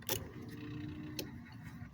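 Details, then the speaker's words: Dodge Daytona on a 4WD truck frame, computer woken by powering the light green wire with black stripe from the battery: relay click, faint stepper whir, another click as the idle air control motor cycles. Normal power-up. "If you could hear that, that was the computer powering everything up and moving the air control around and everything."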